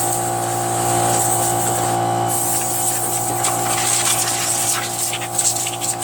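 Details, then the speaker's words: Free curb-pick John Deere JS63 mower, run to burn the tank dry for storage (about 25 minutes): constant hum with a steady low note, no hunting or knocking, light clatter later; runs smoothly, normal. "still has so much gas in it running it dry so I could store it"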